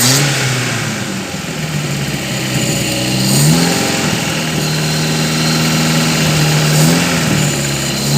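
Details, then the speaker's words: Restored 1980 Toyota Kijang KF-10 pick-up, tuned by the owner: the four-cylinder petrol engine idles evenly and rises smoothly on throttle blips, with no rattle or metallic tapping; healthy engine, no transmission or differential noise. "Nah, bagi yang penasaran, ini adalah suara mesinnya. Suara mesinnya masih khas Kijang, kayak Kijang super biasa ya. Suaranya khas."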